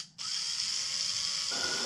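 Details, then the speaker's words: 1997 Land Rover Discovery cylinder head: valve spun by drill at low speed with water-based lapping compound gives harsh, gritty binding grind at start, smoothing out as lapping continues. "That is steel on silica or sand on aluminum. So you'll feel it kind of binding and you'll hear it be a little bit rougher."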